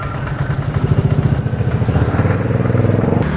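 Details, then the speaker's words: Honda Vario 125 scooter that would not start because the fuel pump was not humming, running after the fuel pump fault was fixed: steady putter at about three and a half beats a second; running normally again. "Alhamdulillah Ini udah hidup nih Masbro"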